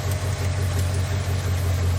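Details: 1997 Lexus LX450 with 5.3 LS swap and 6L80, idling after being plugged back in: steady even low rumble, no belt chirp or ticking; belt not riding up the crank pulley, accessory drive healthy.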